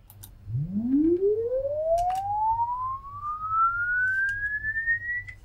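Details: LD Zone 622 two-zone rack mixer, sweep tone through the master and zone outputs: a clean single tone glides smoothly from low to high without crackle, buzz or dropouts, its level falling as frequency rises; the output is working normally.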